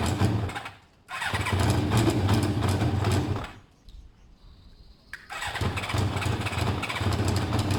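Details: Bike with two same-size air holes in each one to balance air: fires, runs with a lumpy, wavering beat, dies, restarts and stays ragged; rough and not yet balanced, owner thinks it's close.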